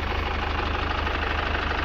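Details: Chevrolet Captiva Diesel FL, around 2012–2013, fuel system fouled by Biosolar; hard to start, heavy pulling, smoking: uneven, pulsing diesel idle with a hard clatter in each beat, rough running from contaminated fuel system.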